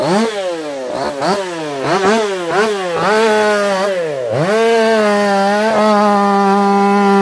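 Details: Echo CS4910 chainsaw with experimental taper-top piston/crank swap, ported for open crank, running a little warm, compression about 180 psi cold, 170 warm; two-stroke snarls through quick dips and recoveries under load, then holds clean high scream, healthy.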